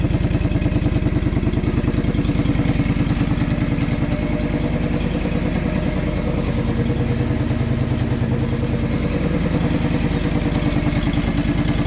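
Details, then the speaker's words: John Deere 445 engine after valve adjustment and fresh 10W-30 oil: fires up to a steady, even fast-idle beat with light clatter, no misses or knocks; blows blue smoke; owner suspects the valves were the problem. "see how she fires up that sounds pretty good it says spark plugs again that's a good sign"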